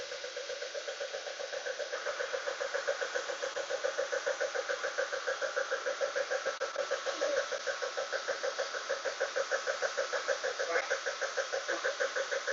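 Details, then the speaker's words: 1998 BMW E36 328i: even, sharp knocking at about three per second over a steady idle, tracking engine speed; engine knocking at idle, mechanical origin unknown. "Okay, 36 BMW knocking sound. Let's see. Somebody help."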